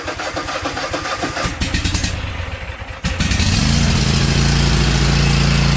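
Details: Sears T8200 Pro Series lawn tractor with a Kohler 7000 Elite 24 hp twin: irregular cranking churn for three seconds, then it catches and settles into a steady low drone; the start itself sounds normal.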